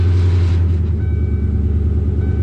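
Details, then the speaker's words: Coyote-swapped Foxbody Mustang V8 with 340 Aeromotive fuel pump, after replacing a blown fuel line hose: strong rumble settling into an even, steady idle after a blip, no stumbling; fuel pressure confirmed at 60 psi, fixed. "Sounds like she's supposed to."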